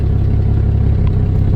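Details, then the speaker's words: 1988 4-liter vehicle with cracked exhaust manifolds, after an exhaust repair: steady low rumbling idle with an even beat and no blowing or ticking, much quieter than before the repair. "all right yeah now she's sitting here burning like a kitten much quieter if you watch the first video you can see how loud it was"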